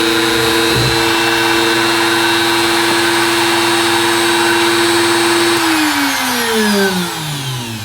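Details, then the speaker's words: Bosch GKF125CEN palm router set at speed 4, switched on: high-torque start then circuitry slows it, high steady motor whine holding even pitch then dropping smoothly as it spins down; running cleanly. "And then I'll hold it here so that you can hear it. It's going to wind up and then go back down."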